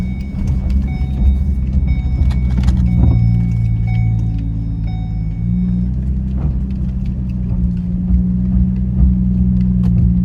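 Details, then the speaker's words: Ford MKZ on a test drive after front suspension rebuild with new hub assembly: only low, even road rumble, no growl or knock from the front; previous noise gone, front end quiet. "Got a whole rebuilt front suspension now. I don't even hear it anymore. I used to hear it a little bit. Not a thing, brother."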